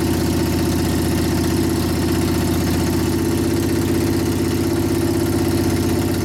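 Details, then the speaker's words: 1999 Harley 80ci Evo rigid, after reassembly and repair of a previous clanking/clatter: steady even V-twin idle with tight low beat, no clatter or knocking; engine now sounds tight and healthy. "now you hear it's all tight you hear the difference in it now it's not clattering around this"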